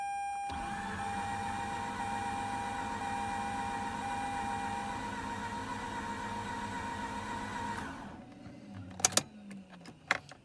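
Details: Mazda RX-8 rotary, suspected low compression, sat four days in freezing weather: fast, even starter whir for several seconds with only faint, very mild hints of firing; engine never catches; cranks but won't start.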